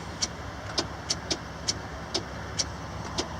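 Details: Truck (called Ruby) at a truck stop with four new batteries: sharp, uneven clicks, two or three a second, with no cranking; the starter has failed even after tapping it, and a jump or pull start is planned.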